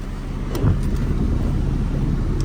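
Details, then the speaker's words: Acura RSX Type-S on stock exhaust, light revs: deep even exhaust rumble with steady low tone, no knocks, misses or rattles; normal revving. "as you guys can see stock exhaust still has a little nice Rumble uh let's give a little bit of Reds let's"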